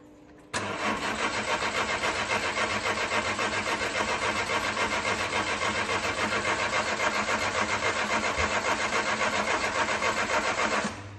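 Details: 1998 Citroën Saxo limited edition, long unused, cranking at an even three-and-a-half beats a second for ten seconds without catching. Cranks but won't start; owner suspects a bad battery connection or a weak battery.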